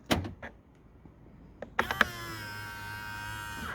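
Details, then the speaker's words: Skoda Octavia Mk3.5 power-folding wing mirror after fixing the clicking by lubricating the spring seat in its plastic housing with WD-40 and spray grease: a few light taps, then a smooth two-second motor whine with no clicking. "there we go perfect and the the answer was the most obvious wd-40"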